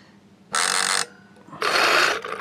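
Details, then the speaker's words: Mega CD 2 / Sega CD 2 with broken-corner CD drive PCB, door closed with no disc: two harsh bursts of gritty grinding as the laser sled searches and runs against its gears and screw; the motor works. "let's close the door that didn't sound too good but it shows the mo the motor is working and then the laser is searching for the disc"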